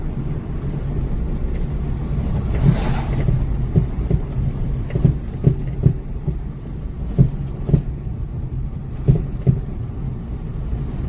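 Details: Acura RSX with six-month-old D2 coilovers driven over snowy bumps: hollow clunks in bursts over road rumble, banging began two months after purchase; worn coilover suspension knock.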